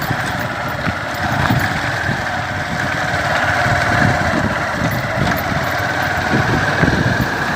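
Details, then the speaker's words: Honda Fan 150 motorcycle after an oil-pump gear repair (19 mm nut) that cured a clatter like piston slap on gear changes and acceleration: an even, steady single-cylinder idle with no knock or slap; problem resolved. "Tá funcionando aqui, mostrando pra vocês. Tô mostrando aqui pra vocês que resolveu o problema."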